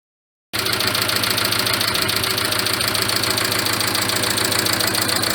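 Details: Carisma GDI petrol engine idling: fast, bright clatter and knocking, about four knocks a second. Suggested remedy is changing the oil to 10W-40 and adding Ceramizer. Engine knocking and clatter at idle.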